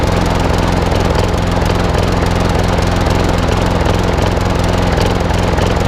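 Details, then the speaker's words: Old Masport lawnmower with a Briggs and Stratton single-cylinder engine, after a full service: steady thumping with an occasional uneven beat, a slight miss; owner suspects the carburettor needs cleaning again, possibly the coil too. "doesn't run too bad but don't forget this is quite an old girl it's running barren what it was it's talk a little bit of a Miss on it it could be a carburetor again"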